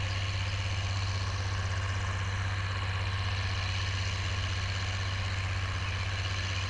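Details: Oliver 1550 diesel tractor disking with a John Deere BW disk after whatever was in the fuel system cleared out; a deep, steady thrum at an even pace with no stumbling, surging or knocks. Normal diesel running under load.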